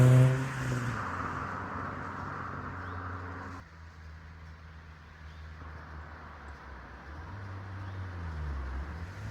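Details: Drive-by of a 2010 Kia Forte Koup SX, 2.4L four-cylinder, six-speed manual, with a Flowmaster muffler: deep low grumbling as the car passes and pulls away, smooth and even with no ticks or rattles; healthy exhaust.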